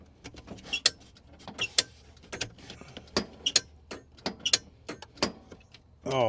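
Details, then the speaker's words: EZGO TXT/PDS golf cart that won't run despite a new controller, with its motor taken off; battery voltage is present at the gas pedal. Sharp irregular solenoid clicks every half second, no motor hum, with a forward/reverse drive wire unhooked; cause still being diagnosed. "If you unhook one of them, the seal go click click, which is good. That means that it ain't getting no fuel"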